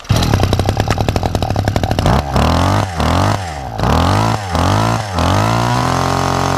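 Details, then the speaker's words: Two-stroke hedge trimmer with an adapted replacement carburetor, restarted without choke or prime after tightening a loose bolt: high, raspy buzz climbs and drops cleanly with each blip, then holds an even idle without stumbling, normal running. "Brilliant. Super super happy with that. I didn't think for a minute that carburetor was actually going to work, but it primed well and it runs not too bad at all."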